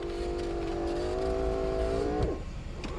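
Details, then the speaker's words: Mercedes 300SL R129 with repaired roof control module, closing both windows (regulators dry): even motor whine for two seconds, then clean stop; windows working normally. "then i'm going to do manual down so i'm just going to press it as you can see same on the passenger side see i'm hitting it obviously they go down easier because it's easier to go down"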